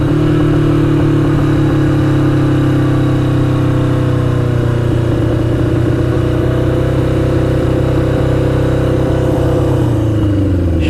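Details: 1982 Yamaha XJ750 Maxim barn find on its first ride, with new battery and cleaned tank; engine holds a steady high drone that never settles to idle; revving too high.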